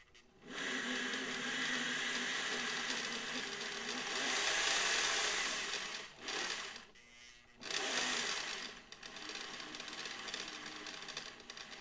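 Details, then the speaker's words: Vintage Singer sewing machine (300/400/500-type motor) run slowly at purchase inspection: a loud, turbine-like whirr with faint clicking, louder than it should be. The gears are dry and need grease. "they normally have what I call a whirring turbine like sound but it shouldn't be that loud but there's a little clicking"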